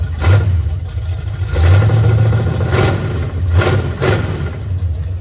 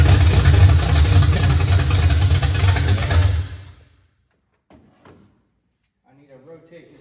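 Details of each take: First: 1979 Chevy Camaro V8 first start in 4 years, with timing adjusted; loud, deep open-exhaust rumble with a few quick throttle blips, then it keeps running steadily; normal running. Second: 1979 Chevy Camaro V8, first start in 4 years, boat gas feeding the fuel pump: loud, lumpy rumble with an uneven beat for three seconds, then shutdown; timing firing late, distributor to be turned counterclockwise.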